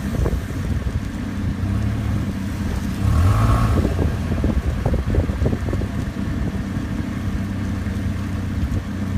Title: clunky noise